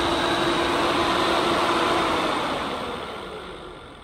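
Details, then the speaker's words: Factory OEM radiator fan from a KRX 1000, about 1500 miles, bench-run on a 12 V supply drawing about 10 amps: steady whooshing fan roar with a faint hum, slightly rough as it winds down; noisy worn fan motor. "You can see it's pulling about 10 amps and it's fairly noisy."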